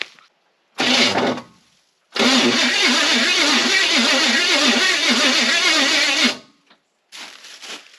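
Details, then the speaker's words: Long-stored derelict Chevy cube van, first crank attempt: harsh, rough cranking in two bursts that turns the engine but never fires; starter sounds terrible but turns over. "well the starter sounds terrible but it's turning over"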